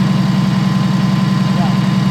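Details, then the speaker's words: Diesel motorhome with Allison V730 transmission, whining in the rear bedroom at highway speed: at idle, a steady thin whine over the loud diesel rumble, highest pitch heard at the power steering pump; transmission also suspected, unconfirmed. "I could hear, this is cool, because you can hear the bearing circling in there, you can hear the fluid circling in there"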